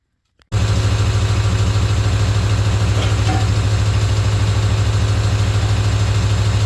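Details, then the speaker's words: 1996 Ford F250 OBS turbo diesel, first start after new 3" downpipe and 4" full exhaust: even, deep idle with steady low beat, no knocks or rattles, sounds healthy. "I think this thing sounds pretty minty now and and it honestly it's not much louder than stock it's got more bark when you honk on it but you can really hear the turbo now"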